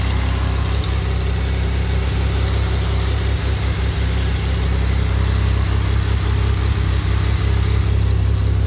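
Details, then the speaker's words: 2007 Pontiac Grand Prix supercharged V6 on first startup after a Gen 5 intercooler rebuild with new heater core: a steady, smooth idle with no knocks and a slight exhaust leak heard; it sounds much better. "Intercooler's running. Nice and smooth. Sounds much better."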